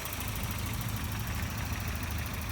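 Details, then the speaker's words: 1989 Volvo 740 turbo intercooler, about 194,000 miles, oil leak, hood open; low steady idle with even beat, no ticking or knocking. Runs good, normal idle. "Like it's gonna need a little love here and there, but it's a Volvo, it runs good."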